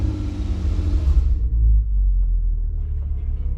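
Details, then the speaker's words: 2009 Audi TT mk2 3.2 VR6 with an automatic gearbox and nearly 300,000 km: a start catches and settles into a deep, even six-cylinder rumble with no knocks or rattles, sounding healthy. "Just listen to that when you start it up. It makes fantastic noise."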